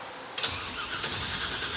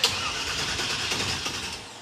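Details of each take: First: '56 Chevy Field Car with 500-hp small block, newly installed starter ordered for a '97 Camaro application: the starter engages cleanly and spins the engine at an even, brisk cranking rate with no grinding; the starter works properly. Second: '56 Chevy cranking: the starter spins the engine briskly but it never fires. The crew suspects the mechanical fuel pump can't draw gasoline from the tank because of a subtle wet leak at the fuel filter, possibly a cracked fuel line; fuel starvation.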